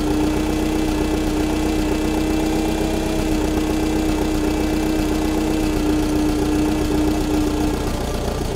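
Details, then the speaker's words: Allis Chalmers FP-40 forklift engine, first run after full fuel system overhaul and four or five months sitting: idle mixture screw turned in too lean, idle goes lumpy and uneven under a steady drone, rough idle from lean mixture. "now that's riding a little rougher now we're gonna turn it out same thing"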